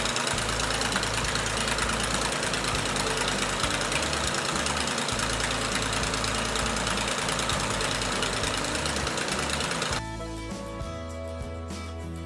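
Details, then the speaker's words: Navion aircraft engine's first start of 2019 after a year-long winter layup: steady, even drone holding constant speed, no misses or knocks; started like a clock, healthy normal running. "en tout cas il a démarré comme une horloge après ces petites hibernation là depuis une année"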